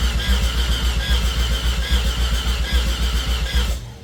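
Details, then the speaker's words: 1989 Mazda RX-7 Turbo II rebuilt rotary, first start attempt with no coolant, fuel pump relay jumped and no fuel pressure yet: steady starter churning for nearly four seconds with no firing; injectors get no power. "I do got the fuel pump. Um, trying to crank it, but it is not yet starting."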